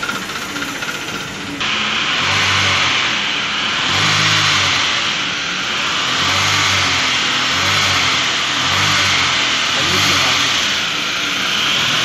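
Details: 2013 Chevrolet Cruze: rough, uneven running with a surging beat about every two seconds over a hissy engine note; misfiring with an engine noise, mechanic suspects an exhaust valve, head to be removed.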